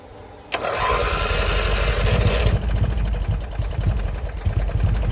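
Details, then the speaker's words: Barn-find race mower, sitting about 10 years, no choke, given help to start: fires with an uneven, lumpy beat and a breathy hiss from the crankcase breather making a weird noise. "Oh, it's the breather. The breather's making weird noise."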